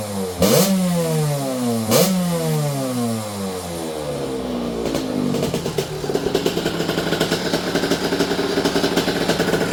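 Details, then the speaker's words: Fast, healthy two-stroke on a 2006 KTM 65 SX after carb clean, new throttle cable and needle clip lowered two positions (200 main, clip 2nd from top, air screw 3/4 out), following flooding: two clean blips then steady ring-ding buzz, no bogging. "once I did that she pulls hard it's a little screamer it's a fast little bike"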